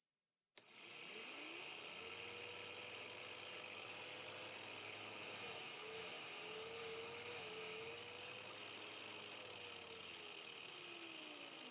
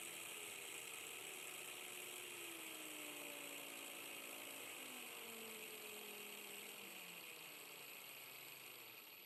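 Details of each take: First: Normal motor run at higher speed on a DC motor driven through a 12-24V 30A LED strip PWM dimmer: steady mid-pitched hum wandering slightly with speed, the low-speed beeping and winding whine no longer audible. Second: 12–24V 30A LED strip PWM dimmer used as a speed controller on a 19.2 V, 7000 rpm motor, set to minimum: a thin, steady high-pitched whine over a slow, quiet motor hum as the windings whistle; the whine disappears at higher speeds.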